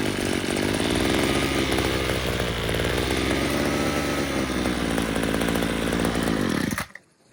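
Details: Yard-sale two-stroke weedeater (one piston ring, leaky compression): high buzzing run that cuts out when turned on its side and revs up when tilted back; owner suspects fuel pooling in crankcase.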